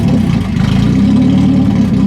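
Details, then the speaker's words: 1991 BMW 318i E30, open headers, with MAF sensor unplugged: loud throaty idle fairly even with slight wavering; plugging the MAF back in made it stall, so MAF deemed bad and to be replaced. "Okay, so the MAF sensor is definitely bad. I unplugged it, and then it ran like a lot smoother, and then I plugged it back in, and then it actually died."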